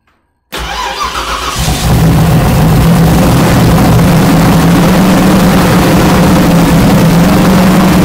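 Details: Fresh 393 cubic inch V8 (Trick Flow heads, MSD ignition, Comp cam, Wiseco pistons) first fire-up on a cold January morning with shots of fuel; quick crank, catches within a second, steady even idle, normal cold start.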